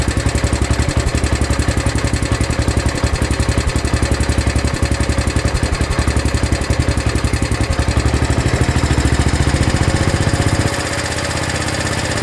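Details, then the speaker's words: Kohler KT19-swapped Gravely 816 single-cylinder engine, just started after a new hose was fitted: fast, steady firing at about 220 beats a minute, well above normal idle. High idle. "Looks like I win. Got it idling really high."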